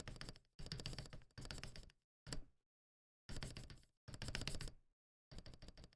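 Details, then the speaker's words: Akko ACR Pro 68 keyboard, freshly assembled with lubed switches, not yet tuned, no case dampening foam: rapid key presses give hollow, chattery rattling clack, spacebar especially hollow. "You can hear all that chatter. You can hear all that chatter, right? It sounds hollow. It sounds very chattery."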